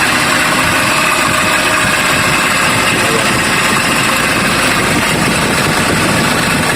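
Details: Kia Bongo 3 diesel at idle, misfiring and noisy before stethoscope diagnosis: loud, rough idle with constant hissing, grinding whirr, a suspected bearing noise.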